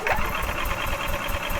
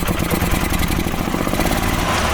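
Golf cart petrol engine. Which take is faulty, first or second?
first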